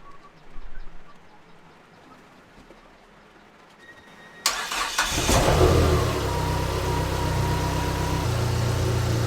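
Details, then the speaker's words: Dodge SRT-4 just after an alternator replacement, with the battery reconnected and the jumper still attached. It cranks, catches and settles into a steady, even idle with no whine or squeal. The old alternator had let voltage drop until the battery light came on. "All right, it's running. The jumper's still hooked up."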